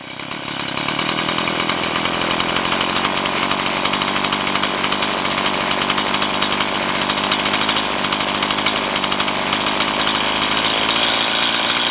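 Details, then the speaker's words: Stihl MS170 chainsaw with 16-inch bar, upgraded with Farmertec parts, after setting idle mixture and idle speed: steady even high buzz with no hunting or stalling; normal idle. "This is good enough. Nice."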